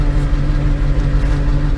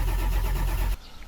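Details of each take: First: Ford F550 Powerstroke diesel, 143,000 miles, after fixing a starting issue: low, steady rumble settling straight into an even idle, no stumbling or knocking; started promptly, idles cleanly. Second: Ford F550 Powerstroke diesel: starter spins steadily about a second but never catches; leaking IPR valve lets high-pressure oil bypass, main oil pressure up but injection pressure only about 10 psi, so no start.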